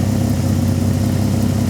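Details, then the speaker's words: Peugeot 206 with swapped VR6 engine, after a power-steering leak repair: low even idle rumble with steady beat, no misses or knocks; running rounder as it goes. "Plus ça va, plus ça tourne rond. Enfin, en même temps, c'est un petit peu le but quand même."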